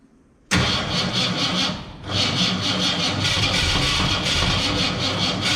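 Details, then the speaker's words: 1967 Ford Fairlane, first start attempt after sitting 7 years: engine catches and runs rough and uneven, with a sharp pop coughing back through the carburetor and a stumbling, irregular beat. Backfiring and sputtering, cause suspected but not confirmed. "that would be the definition of a backfiring why is it off so far"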